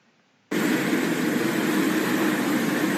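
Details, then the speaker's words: Cooling tower blower with loose V-belt: loud steady roar with constant squeal and rapid flapping about four per second as the belt slips; black belt dust around, low tension cuts airflow. "벨트가 파닥파닥 거리면서 끼끼끼끼 미끄러지다 저렇게 주위에 이제 시커 맣게 또 가로 다 날려 있고요"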